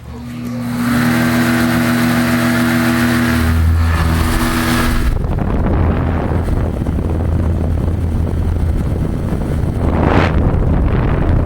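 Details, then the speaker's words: Vintage 1972 Rotron Caravel 9-inch muffin fan, 115 V AC, 0.46 A, 53 W, with a finned motor cooling fan: steady motor hum and airflow whoosh at startup, then a short spin-down; normal operation. "let's see if I get a startup sound is really not much it's a little whirring and that's it"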